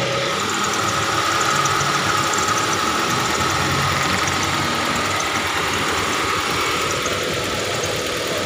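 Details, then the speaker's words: Hyundai Trajet that died suddenly on the road, after fuel pump replacement and tank refill; smooth, steady idle with a soft even hum and no misfire or knock; starts and runs normally. "alhamdulillah nih sudah hidup sudah hidup alhamdulillah nih"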